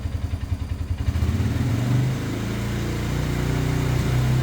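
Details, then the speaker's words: 2017 Polaris Ranger 570 EFI, now idling around 1,200 rpm after rough-idle troubleshooting; lumpy putter at idle, then revving with beats dropping out under throttle; owner suspects spark plug; misfire. "Now we've got an issue with it just missing. So I'm going to see my rev up. See if it'll show you that."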